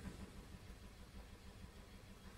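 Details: Audi TT with P0304 cylinder 4 misfire and injector shutdown, idle: uneven lopsided beat with one weak pulse per cycle, slight shake; pulse waveform shows low compression, intake pulse perfect, intake valves carboned.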